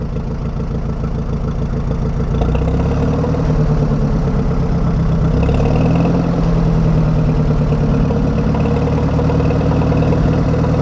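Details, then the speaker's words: 1961 Oliver 550 tractor after Marvel Schebler carburettor rebuild, old gas still partly in the tank: low, steady idle with an even beat and no stumbling after idle and throttle adjustment; normal idle. "seem like I've got an idle down a little bit more and uh little adjusting seems like I get it to take throttle decently"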